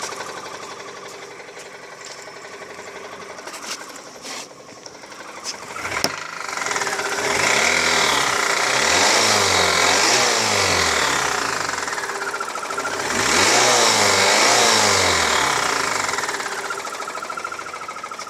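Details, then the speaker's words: 2003 Mazda 6 2.3L petrol engine idling, with a fast, regular bicycle-ratchet ticking knock that grows louder with throttle. Cause unknown: no bearing debris in the oil and the timing chain is tight. "не похожи ни на вкладыше не на цепь не понятно что это за стук такой трещотка на велосипеде"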